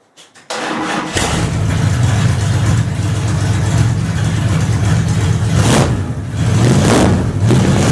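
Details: 1929 Chrysler with new DIY 2.5-inch exhaust, recorded from the rear of the car as a sound check: engine catches quickly and settles into a deep, even exhaust rumble with a couple of light blips; normal idle.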